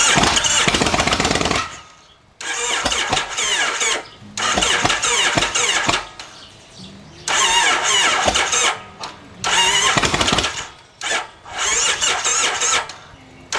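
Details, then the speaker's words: 2005 Kawasaki VN1600 Mean Streak, 21k miles, aftermarket pipes, last year's gas; suspected automatic cam chain tensioner failure with chain jumped a tooth; engine fires in ragged bursts with dead gaps, won't settle, running rough. "it doesn't run very good love to take this thing for a test drive do a GoPro cam test cam ride on it but it just ain't going to happen"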